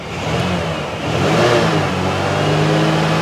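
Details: Engine of a 1988 Lincoln Town Car on first start after sitting revs up and holds with a rough, uneven, stumbling note, a misfire under revving; owner suspects antifreeze or moisture in the cylinders from sitting, with smoke seen. Cause unconfirmed.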